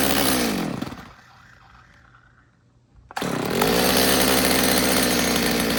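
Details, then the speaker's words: Stihl MS200T chainsaw, warm, no chain, after replacing its age-cracked fuel line: revs drop to idle, then the trigger brings high revs with a brief bog; owner suspects the low-speed carb jet needs tuning. "You know, the saw is warm, it doesn't have a chain on it, but it sounds like the low jet might need a little work because it's got a little bit of a bog when I hit the trigger."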